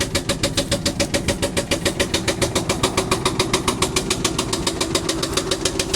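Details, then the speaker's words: 1998 Ford F-150 4.6 V8 after starter replacement, having sat about a year: loud steady knock, three to four raps per second, from around the starter area; flywheel looked fine; owner suspects starter or transmission, unconfirmed. "from inside it does not sound normal I don't know if that is the starter or something else making everything Shake"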